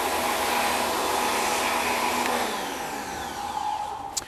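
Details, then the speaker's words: WEN electric pressure washer, rated 2000 psi 1.6 gpm, running the soap nozzle with about 12 ounces of soap: steady high rushing whine that sags lower and quieter after a few seconds; motor bogging down under the soap load. "however the machine doesn't seem to like it you can hear it it almost seems to want to bog down a little bit"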